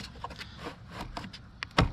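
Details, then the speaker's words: FMS Pitts 1400mm RC biplane battery tray latch: quiet handling, then one sharp, crisp snap near the end. Latch still catching firmly; the small plastic retaining tabs will wear over time and the pop will get less distinct, so a mod is deemed necessary. "hear that pop over time that pop is going to get less and less distinct okay but if you look real close see the tip of my finger see them little uh plastic Rising right there those are going to slowly wear off and that's all that's holding your battery tray in"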